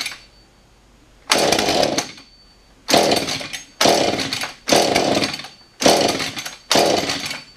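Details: Husqvarna 435 chainsaw after carb work, primed six times, aftermarket coil and suspect non-genuine flywheel: catches in about one-second bursts then dies back each time, can't hold a run; poor running.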